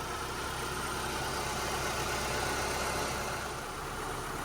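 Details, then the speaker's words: 2002 Mitsubishi Lancer with new coil packs, warm after about five minutes running: even steady idle hum with no rocking or stumble, faint fan whir. Smooth idle; earlier rough idle possibly from pressure-washing water in sensors. "Sounds a lot smoother now. It's not rocking back and forth as it was before."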